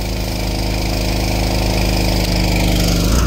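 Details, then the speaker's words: Old power washer engine at full throttle, drone sagging and dropping in pitch as the year-old pump, turned up for more pressure, loads it; fuel isn't dirty, and weak governor springs can't hold its speed. "I got a little more pressure but you just hear that power washer can't take it or the motor"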